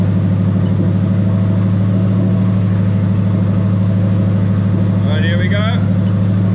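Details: Toyota 1UZ-FE VVT-i V8 from LS400 on a plug-and-play harness for an IS200 with J160 manual gearbox, bench-tested without exhaust: loud even deep idle with steady pulse, no knocks or misses; check engine light out, sensors working.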